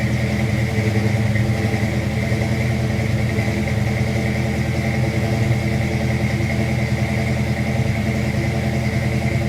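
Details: Fox-body V8 with Trick Flow Stage 1 cam, roller rockers, aftermarket heads, shorty headers, X-pipe and Flowmasters: deep, lumpy, loping idle, steady and even with no knocks or ticks; healthy normal idle.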